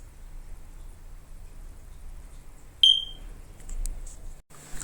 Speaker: ladies did you hear that sound I'm about to show you and anyone else that doesn't know how to change the fire alarm battery when it's making that beep sound because that means the battery needs changing